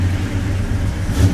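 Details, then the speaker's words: 1971 Chevy C10 V8 after bolting back up a bolt that had come out of its threads and nearly caused a tow-home failure; deep even rumble, clean rev, no metallic scraping or ticking; normal start and rev. "just like new that was just before it being a show stopper right there"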